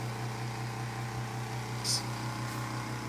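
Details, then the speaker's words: Galaxy (Lasko) 9-inch oscillating desk fan, third-generation model from around 1993, running on high: steady motor hum with a fast, uneven buzzing rattle riding over it. The blade is out of balance, but the fan still blows plenty of air. "as you can hear it rattles that's because the blade is kind of out of balance but despite the rattling noises it still blows a lot of air"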